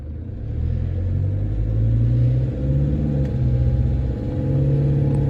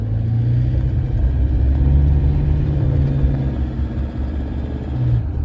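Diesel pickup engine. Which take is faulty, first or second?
second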